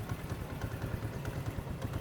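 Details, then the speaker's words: Honda CD 70 Dream 2027 model, about 6.3 km on odometer, started for a petrol mileage test fed from a 250 ml bottle: steady quick single-cylinder idle with light tappet chatter; running normally. "अब हम इस bike को start करते हैं। आप देख सकते हैं बाइक जो है वो स्टार्ट हो चुकी है।"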